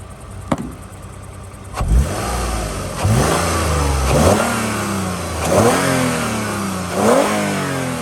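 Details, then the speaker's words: 2011 Toyota Sienna LE revved several times: the engine picks up cleanly through three or four blips and settles back to a steady idle each time, no knocks or rattles; normal revving, sounds healthy. "I like to do that so you can hear that it sounds good and healthy."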